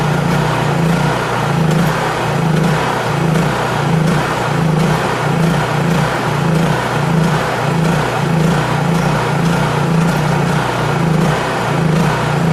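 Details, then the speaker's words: Honda EU3000is inverter generator after carburetor adjustment, fuel valve shut to run the carburetor dry before storage: engine hunts up and down about every half second in a steady cycle; surging from fuel starvation. "and all that surging was because I turned that valve off right there the fuel valve and uh that's what you should do to uh especially if it's going to be uh not started for a while because it drains all the uh fuel it burns all the fuel out of the carburetor"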